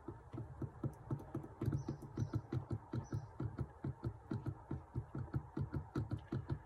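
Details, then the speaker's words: Triumph TR7 under restoration, pre-first-start test: steady cranking about four beats a second with no firing; the mechanical fuel pump delivers no fuel; opened it and found a mess inside. "we're not getting anything from it."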